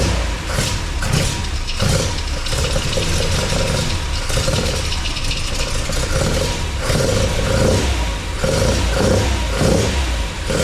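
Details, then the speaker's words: MGB with a newly installed Weber 45 DCOE carburettor (new jets, float height set, top off), first start and not yet warm. Catches and revs crisply with quick throttle response while the idle hunts between blips; sounds good, idle needs adjusting. "So that sounds awesome. Idle needs to be adjusted, obviously, and needs to take it up for a run to get it up to temperature. But that sounded sweet."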